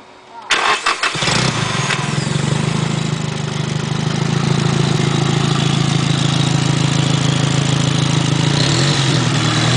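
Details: Nissan SR20DET Blacktop turbo engine: cranks, fires and settles into a raspy idle with a fast puffing tick from a downpipe exhaust leak.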